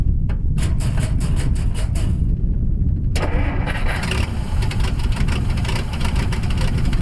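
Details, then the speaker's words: 1957 Dodge D500 1½-ton ex-military truck, sitting on a farm for unknown years, snowy. About three seconds of rapid cranking, then the engine catches and runs loud and steady on its first start; the starter may have hung open afterward. "oh hold on hold on that's amazing i you guys heard it run for the first time and don't feel like how many years let's see if it'll idle"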